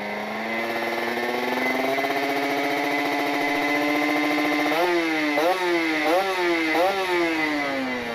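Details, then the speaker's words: Kawasaki Ninja RR two-stroke, PWK28 carburetor with pilot jet 42 and main jet 132, R9 Neo Mugello carbon exhaust, rich ("wet") setting: smooth climb and sharp throttle blips with full, slightly soft crackle; low end feels less punchy, jetting rich, meant for top speed. "Ya settingannya saya bikin setingan basah ya teman-teman nih bisa didengar suaranya ini bawahannya bangsa banget teman-teman"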